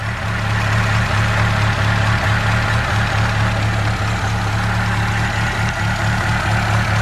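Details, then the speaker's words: Ford Capri Cabaret engine after timing belt snapped at 50-60 mph and new belt fitted: steady low idle at 1,000 rpm, oil pressure up, even smooth beat with no knocks or rattles; healthy, valves apparently undamaged. "But, um, yeah, it sounded sweet. So, I'll give it a run for you. There we are. 1,000 RPM. Oil pressurees up there."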